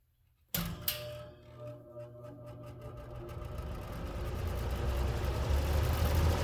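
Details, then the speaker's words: Old Eskimo three-bladed two-speed box fan, apparently model 201370, switched on high: low hum builds steadily as blades spin up to a smooth, even whoosh; fan runs normally on high. "i'll go ahead and turn it on to let you guys hear the sound and there's two speeds here we go on high"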